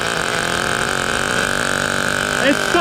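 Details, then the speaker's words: 1994 Team Associated RC10GT with OS 15 CV-X nitro engine, first start after 20 years storage: fast steady high-pitched buzz with burbly wet edge; running rich with idle set high, truck creeping forward. "starts, baby. Nice and rich. Lower the idle a little bit. It's still rolling forward, but that's no big deal."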